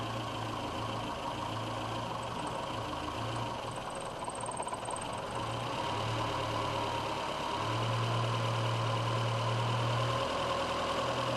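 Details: VW A1 with CIS injection and hard cold starting, idling as the O2 sensor comes online: the frequency valve stops buzzing and the idle hum swells and sags in slow waves; idle hunting because the mixture is far out.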